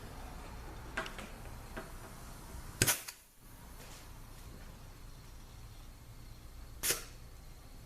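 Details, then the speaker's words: 4L60E transmission input drum air check after replacing cracked drum (car slipped in 3rd); air applied through check ball with apply and bleed holes covered, two short sharp blasts, firm apply, no lingering hiss; 3rd clutch holds pressure, normal. "okay here we go all right that sounded good let's try it again"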